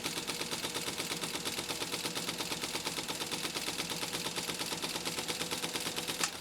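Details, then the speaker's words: Restored 1953 Singer 15-91 after a stitch adjustment: crisp, even needle clatter about three stitches a second, with no knocking or binding; the machine sews smoothly. "let's sew this down one more time oh i love that sound"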